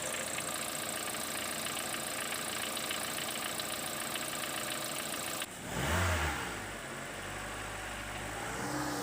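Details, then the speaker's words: Mitsubishi 4G93 GDI petrol engine: a loose, uneven metallic rattle over the idle that changes with revs. It began near 250,000 km and stayed unchanged over 100,000 km more. Worn oil pump drive gear meshing with the crankshaft. "так Откуда же берется этот звук спросите вы и почему у меня сейчас на столе лежит именно шестерни масляного насоса Да все потому что этот звук идет как раз таки от этой шестерни а вернят сопряжение коленвал и шестеренка масляного насоса"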